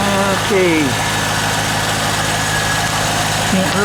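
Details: 1998 Corvette C5 on its first start after a harmonic balancer replacement, engine not yet warmed up, oil pressure pegged. Steady, even idle with a smooth low drone and no knocks, ticks or wobble. Runs healthy.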